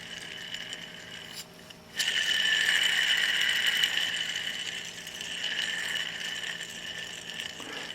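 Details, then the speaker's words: Exmark Lazer Z HP 52" mower deck idler pulley, original since 1999 (about 18 years), spun freely by hand before replacement. High, thin metallic whirring ring fading slowly; owner suspects a dry bearing. "I'm hoping I won't have to hold it from the bottom since it's been stuck like that that's making that sounds like a dry bar"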